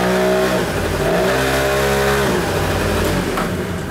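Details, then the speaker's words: Kymco Vitality scooter from Norway, long unserviced: revs stay high, then pitch sags sharply when the brake loads it. The CVT clutch engages too early and the engine lacks torque to pull away; the drive needs adjusting and the CVT needs servicing. "co to może oznaczać to oznacza tylko jedno że sprzęgło Za szybko nam zasprzęgla i ten silnik nie ma momentu obrotowego i mocy do tego żeby ruszyć i się rozpędzić"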